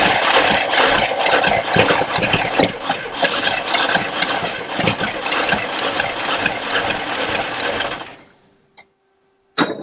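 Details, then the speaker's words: Abandoned 1974 International 150 pickup, IH 345 V8: engine chuffs and catches unevenly for several seconds then dies, running only on fuel poured in; fuel lines look dry, tank fuel not yet pumped up. "Looks super dry inside those fuel lines, so I don't think we pumped anything up yet."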